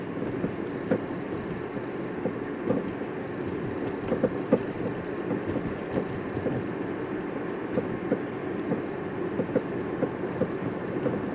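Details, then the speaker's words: 2011–2014 Hyundai Sonata, about 100,000 miles, front end: light irregular clicks and knocks over bumps and when the car is rocked side to side; suspected sway bar end link rattle, broken springs also possible. "you hear it you'll hear if we rock the car back and forth in other words we make the car sway the noise is also there"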